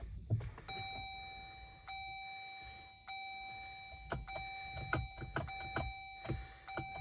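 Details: Jeep 4xe plug-in hybrid with a months-long no-start that won't go into gear: a steady chime repeats about once a second over cabin noise, no engine firing, in park, check-engine lights flashing.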